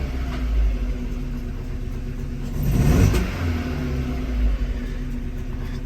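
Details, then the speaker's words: Opel Astra H engine misfiring (троїть), won't drive, code P0302 misfire in cylinder 2: uneven shaking idle with lumpy beat stumbling as it revs; ignition coil module checked and replaced. "Всім привіт в роботі Astra H з проблемою троїть мотор зараз запущу продемонструю троїння мотора"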